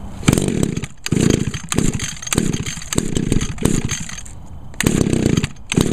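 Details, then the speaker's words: Echo trimmer, carburetor rebuilt last year, unused since October/November, lately harder starting; two-stroke buzzing in short throttle blips, revving up and dropping back cleanly without stumble or bogging; normal running. "oops not too bad this has always been a good trimmer"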